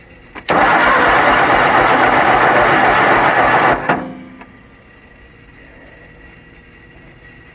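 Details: Kohler Magnum 20 engine on a Wizard garden tractor, second start after repairs, battery on charger boost: starter turns the engine steadily at about four compression pulses a second for three seconds but it never catches; cranks, no start.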